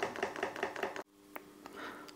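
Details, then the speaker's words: Webasto DP30 fuel dosing pump on component test at 5 Hz for 1000 strokes: crisp, even ticks about five per second; pump judged healthy, delivering about 62 ml. "Uruchomi jak widać i słychać pompka stuka paliwo powoli leci No i czekamy"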